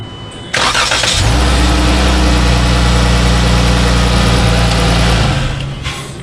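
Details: First start after installing upper and lower intake manifolds, an 80mm throttle body and new coil packs, on a hot day: brief crank catches quickly into a steady, even idle with no misfire, then switches off cleanly.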